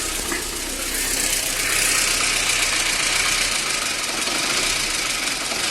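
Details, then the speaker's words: VAZ 2110 on LPG and petrol with clogged petrol injectors, hard cold starts, not yet fully warm: shaky idle with loud hiss and stumbling beat; rough idle suspected from intake vacuum leak and a misfiring cylinder. "тобто він ще не дуже гарячий а вже але вже доволі нехолодний працює Дуже погано машиною треба займатися"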